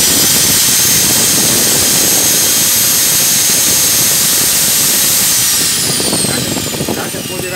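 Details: Angle grinder after repairing its no-start fault and reassembling the cover: steady high whine at full speed, then a smooth falling pitch as it spins down; the grinder runs cleanly.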